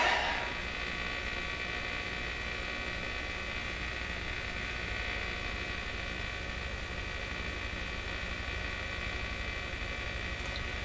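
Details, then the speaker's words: PYE Model 39HC tube radio during motorboating troubleshooting, speaker connected: a steady low buzzing hum with faint hiss stays audible even with volume at zero; the cause is unknown. "why it is we can still hear it with the lion at zero i don't know [Music] it's just got a ton of ton of volume"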